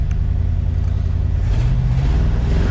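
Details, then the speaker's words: 1967/1968 Ford F100 V8 pickup revived after sitting in the woods: a deep, even low rumble with no stumble, tick or knock; the truck runs well. "that truck runs good y'all"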